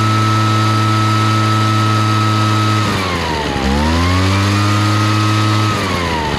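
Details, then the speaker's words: Craftsman backpack blower, two-stroke, that had been blowing raw fuel from the muffler; after carburetor rebuild (stuck metering diaphragm) and re-adjusting an over-leaned mixture: steady high buzz, brief dip, clean climb, no bogging or stumble; running right. "all right sounds good so I think that fixed it apparently somebody had uh leaned the carburetor way out probably when it was flooding and they were trying to make it run correctly"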